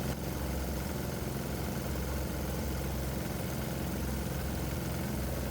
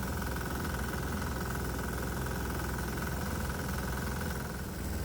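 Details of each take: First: 196cc 3hp diesel during warm-up under load, vaporizer bucket disconnected, hot ambient: deep steady thump, a little choppy in its beat; owner says that's normal for this engine. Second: 196cc 3hp diesel, warmed up under load, just connected to alcohol/water vaporizer bucket feeding intake; exhaust and intake temps dropping: steady chug with harsher knock on each firing stroke; knocking heard, may be bad.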